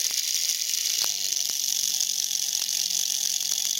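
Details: Small classroom motor kit rated for 1.5 volts, run at 32 volts and about 1.8 amps with oiled bearings: high hissy whine with sharp clicks as the brushes arc, burn and heat up.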